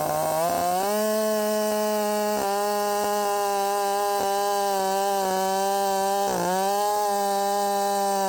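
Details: Redmax 5000 chainsaw with 16-in bar, freshly sharpened .325 steel RS chain, 8-pin sprocket, after wide-open exhaust port muffler mod, cutting at full throttle: high steady scream with slight dips as it bites, strong, clean, feels blazing fast.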